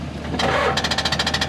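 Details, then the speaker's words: Backhoe start attempt after an ether squirt. Fast, even starter clicking at about fifteen a second with no cranking, because the battery lacks power. It is left to charge longer and later cranks. "That's a starter clicking. It doesn't have enough power to crank. So we're gonna let it charge for a few more minutes."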